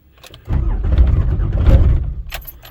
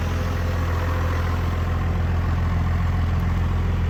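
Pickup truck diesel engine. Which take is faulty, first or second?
first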